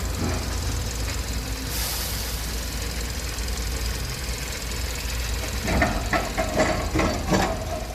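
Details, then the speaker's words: 2012 Kia K7 2.4 GDI Theta II after engine boring rebuild (broken crank bearings, oil pump failure; new coils and plugs). The former gravel-like rattle and shaking seem gone. Even, steady idle rumble with no knock, only a few light clicks near the end. Normal idle. "차 엔진 소음도 조용해진 것 같구요 차 떨림 2 없어진 것 같습니다 엔진 보링 완성 했구요 엔진 소리도 좋습니다"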